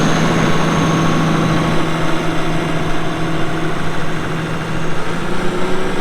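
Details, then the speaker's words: 2006 Caterpillar D4G XL dozer, 87 hp pre-emissions diesel with pre-lube system, 13,067 hours: steady, even diesel idle with a deep low rumble and no knocks or misses; engine sounds healthy. "Starts up and runs really good. You'll hear that here in a little bit."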